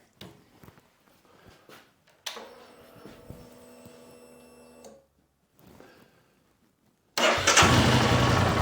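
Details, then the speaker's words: Royal Enfield Himalayan single, about 6,000 km, restarted in cold weather after new exhaust and intake valves and a valve clearance check: quiet clicking, then it fires and settles into a steady, even beat with no tappet clatter; normal idle. "I think this is going to be as quiet as it's going to go I'm really happy with it"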